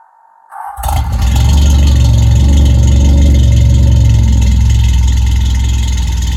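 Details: Toyota AE86 (Sr5) with a new FlowMaster exhaust, cold start after sitting since noon: engine catches after a short crank into a loud, throaty cold idle with a light metallic rattle; owner unsure of rattle source, says nothing's wrong.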